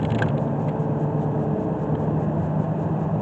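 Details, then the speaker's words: 2014 Toyota Sienna van test drive after new front brakes and rotors: steady low road roar and hiss from about worn-out tires, overinflated with bald inner edges. "Now this thing is going to give me a little bit of road noise because the tires are about wore out."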